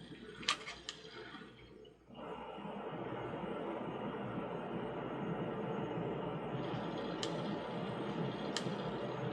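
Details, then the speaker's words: Department 56 Stardust Drive In, motor driving a gearbox that turns the outer ring: steady motor whir with sharp irregular clicks as a cracked gear slips; the crack was glue-filled as a temporary fix. "yeah something's definitely slipping I can hear it clicking sounds like a broken gear"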